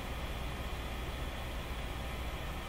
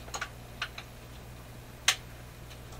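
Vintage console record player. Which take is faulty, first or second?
second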